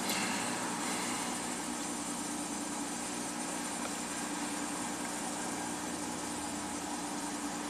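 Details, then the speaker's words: 2016 Dodge ProMaster van with water-damaged PCM, now running on original PCM outdoors; even, steady idle with no misfire or knock on all 6 cylinders; P0760 overdrive solenoid code pending, check engine light off. "That's it. 760 is pending. Even the check engine light isn't on. Seems to be happy."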